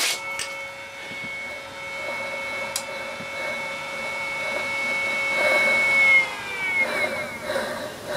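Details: CMG electric motor after regreasing and repacking the bearings: a steady high whine with a thin ringing over the hum. The back bearing is still crunchy and owner suspects it may be too far gone.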